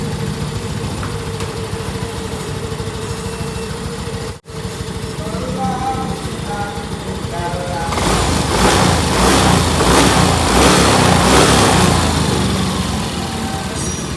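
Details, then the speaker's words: Yamaha Mio M3 scooter after camshaft replacement and valve clearance set to 0.08 in, 0.10 ex: starts, idles evenly, revs cleanly with no ticking from the top end; worn camshaft had caused the rough noise. "engkau hamdulillah udah Hai kembali normal untuk suara mesinnya enggak ada soal ngetik-ngetik lagi ya teman"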